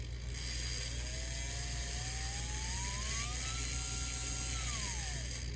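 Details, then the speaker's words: Small electric motor from a Bowser PRR M1 4-8-2 HO scale kit, run after light oiling: whirs up, holds a high tone and winds down with a faint rough buzz of bearing noise, suspected at the front bearing, which more oil partly helped. "so yeah as you can hear there's definitely bearing noise so i'm gonna put a little more oil into that front one i think that's where it was coming from"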